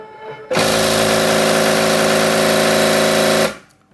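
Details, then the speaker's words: Second-hand Cricut Expression cutter whose broken home switch contact fails to close the circuit near the red button; a harsh buzzing drive tone with rough repeated impacts as the carriage drives into the end stop. "but if he doesn't do it this is what's"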